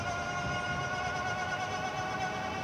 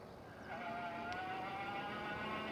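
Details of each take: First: Stellar Falcon SE e-bike hub motor at full power gives a steady, high-pitched whine over low road rumble; this bike's motor is known to be louder than some others, though it performs well with a good torque sensor. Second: Stellar Falcon mid-step e-bike being ridden on the road; steady whine rising slightly with speed over road hiss, normal hub motor winding, noisier than the rider likes but improved from before.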